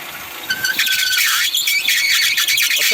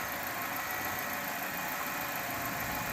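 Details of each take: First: 2008 Kia Spectra running, steering wheel turned left and right: high, wavering squeal as the loose, misadjusted drive belt slips under power steering pump load, causing poor steering. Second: 2008 Kia Spectra after fixing its squealing power steering/alternator belt: steady idle with no belt squeal while the steering wheel is turned right, center and left.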